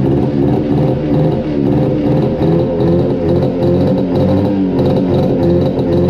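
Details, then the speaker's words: 1972 Arctic Cat Panther 340 two-stroke snowmobile after long storage and a likely wiring fix, exhaust loose: sputters and surges unevenly at idle, stumbling, slow acceleration; owner suspects flooding rather than lean, unconfirmed; rough idle. "doesn't like idling. I don't know if it's flooding out or running too lean."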